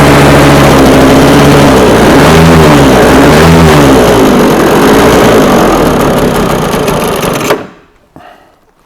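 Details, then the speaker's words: Scratch-built early-1970s radio-controlled boat engine, first start in twenty years: strong busy two-stroke buzz, pitch wavering with throttle, running cleanly and not overly loud before cutting out; normal running. "that sounds quite bloody good on the powerful side of things I like the fact that it's not overly loud"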